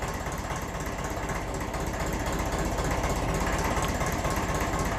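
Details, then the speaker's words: 1954 Ferguson 20 TEF diesel tractor on a cold evening, not yet warm (needs about half an hour): even chugging idle about four beats a second, slight rise and fall as it governs; normal cold idle. "And you know yourselves, these engines, they do like to take a good half an hour or so to warm up. So you do expect them to govern a bit until then."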